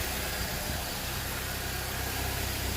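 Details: Chevrolet Cavalier LS Z24, manual, after new alternator fitted, idle settled, no charge light even at 1500 rpm: even smooth idle hum, steady low pulse, no squeal, whine or ticking; normal idle.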